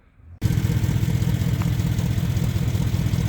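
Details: Land Rover Series III 109 van, first start in over 2 years after carb overhaul for earlier flooding, popping and backfiring; cold day, on choke: catches instantly into fast steady choke idle with even low thrum, no popping or backfiring, healthy cold start.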